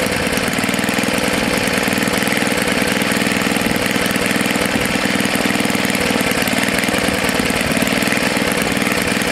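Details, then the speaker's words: Tecumseh HS40 4hp small single-cylinder engine after sitting unused for years, carburetor jet cleaned and reset about a quarter turn out: even, steady drone with no surging or hunting; normal running. "it doesn't want to shut off now yeah that's good so it's a good candidate for either the snapper snow blower or for the mini bike you"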